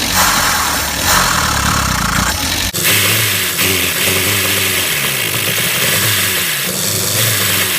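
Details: Max the van after an engine top-end rebuild and ignition timing adjustment: engine fires but coughs and stumbles with choppy uneven pulses, won't rev cleanly; now running but still poorly, cause unknown.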